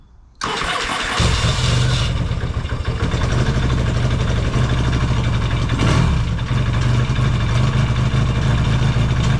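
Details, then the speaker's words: Yamaha XS650 twin after reinstalling the engine, cold start in an unheated shop: catches within a second, then fast, even warm-up idle with steady firing and no misses; healthy. "all the exhaust is coming on here now yeah we that warm up check all the lights while we're doing that"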